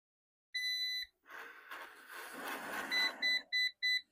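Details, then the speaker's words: Eufy RoboVac robot vacuum with a new motor and battery: one long beep, then four quick beeps with a "power level is too low" voice and flashing red light, though the owner thought the charge was fine; low battery error beeps. "Four beeps. RoboVox power level is too low. Solid red indicator."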